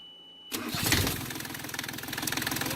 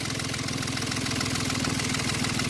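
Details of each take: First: Yanmar 3GM diesel in a Hunter 35.5 sailboat after throttle cable replacement and idle screw readjustment: short crank, catches and settles into an even clatter with steady rhythm, idle holding just under 800 rpm; normal start and idle. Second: Yanmar 3GM diesel in a Hunter 35.5 sailboat after throttle cable replacement, idle being adjusted down with a flathead screw: slow, heavy chugging with uneven thumps and a shaky beat; idle speed too low causing shake, so it is brought back up.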